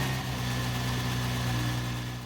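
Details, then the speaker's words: 2008 Infiniti FX35 V6 idling on jack after replacing both accessory belts (pulley bracket fixed): smooth even idle, no belt squeal or chirp; alternator charging battery, belts quiet and normal. "Looks pretty good, and it sounds good too."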